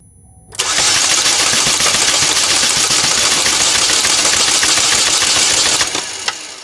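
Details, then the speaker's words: 2012 Chevy Malibu 2.4 Ecotec with a P0341 code, plenty of spark and known to be getting fuel: the starter spins an even three to four turns a second for about five seconds, never catching; a crank-no-start from a skipped timing chain. "well it's getting plenty spark maybe i didn't put enough flammable junk down the engine to make it start"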